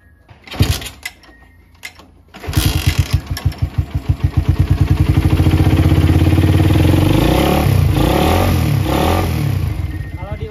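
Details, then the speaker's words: Motorcycle with PE28 carburetor after idle stabilized: fires and revs with a rapid, even pulse, then stumbles badly on sharp throttle blips, running too dry. Hesitation from incorrect air screw setting, needs less than one turn. "ngok parah guys ngoknya parah parahnya pakai banget ya karena berarti setan angin dengan e raungan RPM tertingginya ini kurang e basah ya atau masih kekering"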